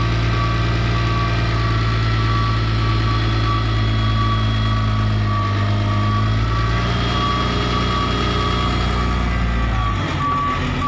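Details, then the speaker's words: Case 2050M bulldozer shifted into reverse: high steady reversing alarm beeps at regular short intervals over a low diesel rumble that cuts out near the end; alarm working normally. "Dan kita, kalau kita ingin mundur juga, kita gerakkan di belakang, ada kedengaran suara alarm mundur."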